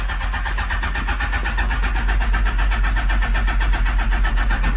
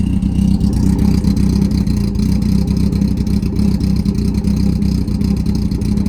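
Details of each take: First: Smart car with Phaser 1000 motor swap, cold start in neutral after fuel pump priming: starter switch stuck on, constant starter drone with steady cranking beat; smells flooded, starter stuck engaged. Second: Smart car, first start after carb cleaning and new jets: low deep idle with steady firing beat, firing audibly back and forth, no stumbling; runs clean, normal idle.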